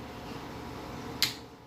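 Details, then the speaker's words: Fieldpiece VP85 vacuum pump on 120 V, full of clean oil, used only three times: on power-up a single small internal click, then silence, and the motor never runs; the pump is dead. "And as you can see, nothing happens. You hear a small click inside after this switch,"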